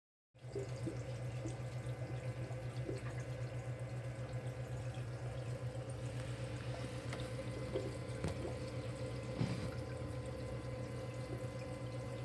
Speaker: See, my secondary drain is burping air. Why is it burping air?